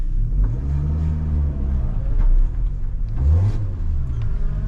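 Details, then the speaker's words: 2012 Hyundai Elantra, loud again days after a new flex pipe install. Engine revs up and falls back with a loud, raspy low exhaust rumble, worse in higher gears: exhaust leak at a flange under the front. "So something is happening up and under the bottom front of this one."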